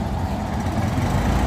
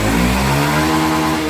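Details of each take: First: Honda Zoomer X scooter before repair: dull, flat engine drone never climbs in pitch under throttle and won't pull; bogging traced to a clogged, faulty fuel injector after the fuel pump was checked and ruled out. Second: Honda Zoomer X scooter after replacing the faulty, clogged fuel injector with a new one: small single revs up and holds a smooth, even buzz without hesitation or bogging; normal revving, injector fault fixed.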